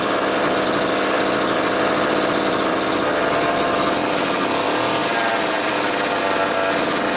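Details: Old McCulloch 1-40 two-stroke chainsaw, very smoky: busy raspy snarl hunting and stumbling, not holding an even note; suspected bad crankshaft seal on one side or crankcase sludge, maybe carb rebuild kit; tuning not far off, cause unconfirmed.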